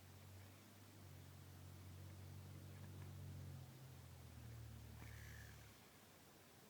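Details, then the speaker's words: Shimano Curado I baitcasting reel: low purring buzz from the spinning spool caused by dry brake pins; fix is oiling the brake pins and the copper plate area. "what it is is you need to oil up these brake pins and get some oil and just rub it against this copper plate area it's just exactly like the bb1 pro you just need to oil it up and then it will stop making that noise"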